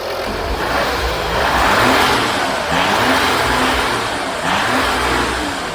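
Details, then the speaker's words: 2014 Audi Q7 3.0L after valve cover gasket replacement: engine revved a little, blipping up smoothly and settling back with no knocks, ticks or rattles; healthy even rev. "I'm going to rev up the engine a little"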